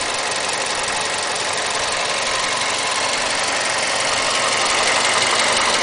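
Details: Mazda 6 MPS engine held steady at 1500 rpm: rapid light metallic knocking riding over the engine, even and persistent; engine knocking, cause unknown.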